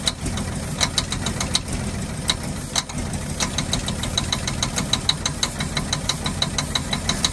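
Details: 1948 Ford F-5 ex-ice truck, first run after about 45 years sitting: sharp light ticks, about three a second, over a rough low idle. Owner believes the number six lifter sticks and pops, not a bottom-end knock.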